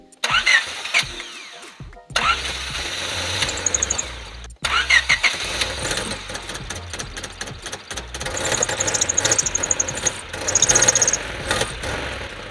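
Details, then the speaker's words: $300 Honda Civic EK hatchback, first start after new clutch slave cylinder: long stumbling cranking bursts before it catches to a rough idle, hard start and won't take gas; owner suspects oil-clogged engine, Sea Foam added. "so the car had a really hard time starting up and didn't want to even take gas but I'm thinking where it was so clogged up with oil it probably had a hard time igniting"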